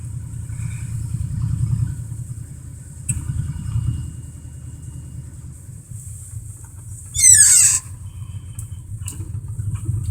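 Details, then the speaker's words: 1987 Dodge Ram D150 with a two-barrel carb, cold-blooded, just started: a low, lumpy V8 rumble with a fairly steady beat at cold idle, warming up but running fine. "it's an old DOD is cold blooded hey got a lot of idle for just a sec before we can put it in"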